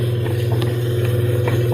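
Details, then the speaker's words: Whirlpool top-load washer: steady low hum with no drum movement. Motor is powered but not spinning; the clutch is suspected of not grabbing and the pump is to be checked for jamming. "all right guys humming not spinning you're gonna try to give it a little push"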